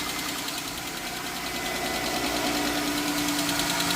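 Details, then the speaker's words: 3.6 Pentastar V6 under extended warranty, cold first-thing-in-the-morning idle: sharp quick metallic tick, about three per second, over the idle, suspected on bank one; valve train tick. "It's first thing in the morning. Cold. Can you hear it? Yep. If I had to guess, I want to say bank one."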